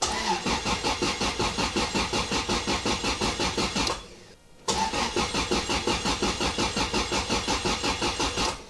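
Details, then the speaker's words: Toyota Altezza after an engine rebuild, not run in a long time, injectors disconnected: an even starter chug in bursts with no firing, cranked to prime oil until oil pressure registers. "We can crank it, that'll get the oil pump to move, it'll move oil up to the top, and I guess we'll do like 5 or 6 cranks and then try and start the thing, I suppose."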